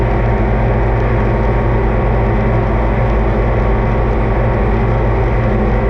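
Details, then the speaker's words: Oliver 2255 front-wheel-assist diesel tractor running on a test run after service (engine oil, transfer case, front axle, rear end and hydraulic oil changed); even, constant low drone with no knocks or rattles, normal running. "well i think we're in business we'll give it a quick check over here for anything leaking but i think that we are in good shape everything we've done is fine"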